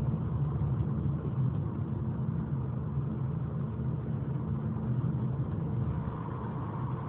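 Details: After repair, recorded 2021-05-14: transmission and engine warning alarms sound at every start, and the engine holds a steady high-rev drone while road speed won't rise, consistent with a slipping transmission.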